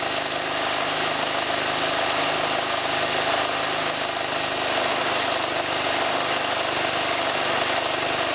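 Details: Ford Falcon AC compressor, removed, dry and overheated, shedding Teflon, run after an 80W-90 oil shot: harsh steady grinding roar with no clean tone; seizing, shaft splines chewed off the swash plate.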